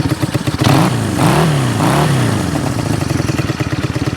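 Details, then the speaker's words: Honda CB200T twin freshly rebuilt with replacement camshaft and valves, aftermarket carbs: blips up and settles unevenly, idle stumbling and lumpy between revs; rough running, still needs carb adjustment. "it needs some some work still needs some some carb adjustment but but we have it running and we're going where about to take it for a Ride"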